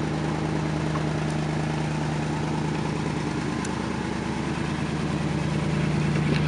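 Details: 1977 Lincoln Town Car with big 460 V8, after many years in storage, holds a steady fast high idle with an even deep drone and no misses; an exhaust leak is noted.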